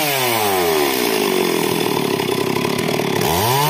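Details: Stihl MS 382 chainsaw after a no-start fix: revs up smoothly, settles into a steady high-pitched run under light load, then pitch swings back; runs strong and even.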